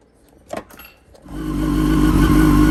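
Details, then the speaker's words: Wrecked 2006 Yamaha R1 finally starts after about 57 tries and settles with a steady mid-pitched whine riding over it; the source is unclear, and the owner wonders whether it is the clutch, saying it sounds almost like a supercharger. "It sounds good, but it's got like a whine to it."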